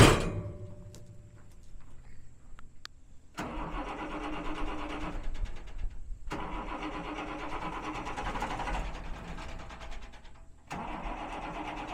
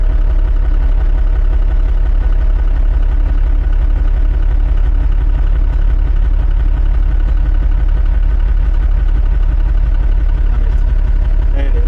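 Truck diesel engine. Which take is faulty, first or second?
first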